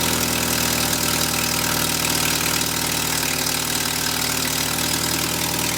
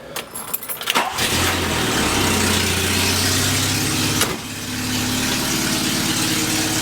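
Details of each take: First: 1979 Volkswagen Rabbit after replacing exhaust manifold-to-downpipe and downpipe gaskets to cure a loud exhaust leak: steady, even idle with no puffing or ticking from the exhaust; normal idle, leak fixed. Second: 1979 Volkswagen Rabbit starts and idles with a loud, raspy puffing hiss; exhaust leak suspected at the gaskets between manifold and downpipe and downpipe to exhaust pipe, later replaced.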